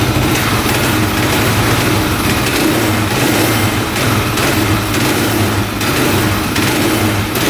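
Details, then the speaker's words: 1995 Suzuki DR650 single-cylinder street-legal dirt bike running without choke, new air filter not yet fitted: even, steady single thump at a smooth fast idle, no misses, knocks or hunting, sounding way better; normal running. "oh yeah that sounds way better"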